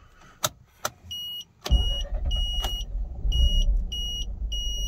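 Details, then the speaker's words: 2006 Mazda RX-8 rotary with a newly installed uprated starter, engine warm: after chimes the starter spins briskly and the engine fires almost at once into a steady, even idle. Normal hot start, which previously gave trouble. "let's just try again again that was that was brilliant it sounded really good"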